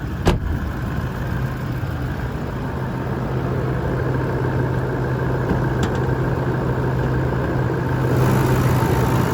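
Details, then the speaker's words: 2018 Toyota Landcruiser GXL 200 Series diesel with full service history, idling, heard under the bonnet: steady, even idle with a smooth low drone, no major knocks, rattles or squeals; healthy engine. "As we listen to it run though, there's no major knocks, rattles or squeals."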